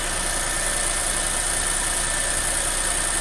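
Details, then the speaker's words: Nissan Almera, 10 years old, after replacing a failed ignition coil with an aftermarket part: smooth, steady petrol idle with an even hum and no stumbles or shaking; normal idle. "เครื่องก็เดินปกตินะครับตอนนี้เครื่องติดอยู่นะครับ"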